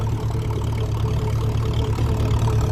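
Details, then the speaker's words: 1957 Ferguson 35 TVO tractor climbing hills, engine labouring, temperature around 80: steady, low, even exhaust beat with no knocks or misses; running sweet, sounding vintage and healthy. "I think this sounds very nice. It sounds very vintage."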